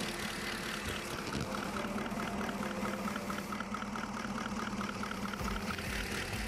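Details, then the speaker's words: 2016 Holden Commodore VF 6.2 L LS3 V8 idling with misfire, injector No. 5 heard via screwdriver with mic in palm: faint irregular ticking lacking the crisp click of No. 7; dead fuel injector. "take note of the noise the number five which is our suspicious injector"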